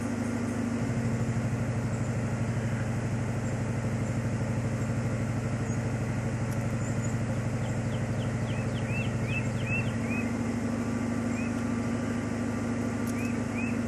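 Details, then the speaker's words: 1995 Ford Mustang GT (OBD1) during a key-on engine-running self-test: engine idles unevenly with a lumpy, loping beat and noticeable rpm dips partway through; rough idle with rpm dips. "I don't know if you can hear that from this camera but you can hear the RPMs dropping and uh car sounds like crap"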